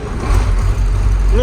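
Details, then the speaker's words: KamAZ diesel truck after fuel line was bled and found fine, and the stuck pneumatic engine-stop lever was pulled up by hand; started instantly, short burst of deep, steady rumble with no knocks or stumbles, running cleanly. "потягнув все нормально КамАЗ запустився як сірник все в нас чтко"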